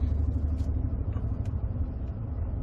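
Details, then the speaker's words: Ford F-150 6R80 six-speed automatic (6R75 in Expedition/Navigator): extreme torque converter clutch shudder under light throttle as the converter clutch locks up, a low rumbling drone like driving over rumble strips, vibrating and slipping; otherwise shifts fine. "You hear it's like, it sounds like we're going over rumble strips. That's the best way to describe it. It feels like you're going over rumble strips, you know?"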